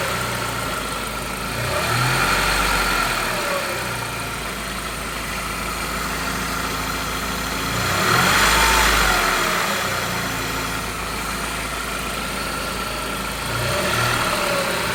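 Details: Saab petrol engine idling with a thin whine that rises and falls in pitch with each rev; the owner suspects the alternator is starting to fail, not the turbo; not confirmed.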